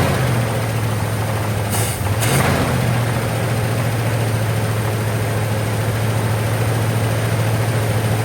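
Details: 1959 Cadillac, sat for years, first start with only fresh gas added: deep, loud, steady drone at a high cold idle with a coarse blatty exhaust note; runs well, but the exhaust sounds terrible.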